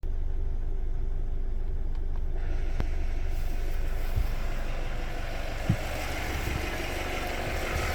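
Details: BMW 116i N45B16A petrol engine idling: deep steady hum, then a harsher raspy rattle joins when the intake VANOS is activated by a software test for 30 seconds.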